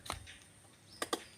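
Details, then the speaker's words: Motorcycle starter motor with failed armature (brushes previously replaced); pressing start gives only sharp dry relay clicks, no cranking whirr; relay works but starter motor doesn't turn. "แป๊กๆๆนะครับเสียงดีเลทำงานนะครับเสียงแป๊กๆๆนะครับ"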